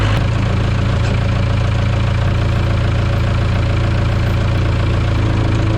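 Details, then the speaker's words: 1974 Ford F-750 dump truck sat about 5 years, carburetor rebuilt: heavy labored cranking about four pulses a second, low and dragging; engine partly seized, freed by pulling with backhoe. "Man, she's really stuck in there, but I think I did the trick. Motor is just a little seized up a little bit."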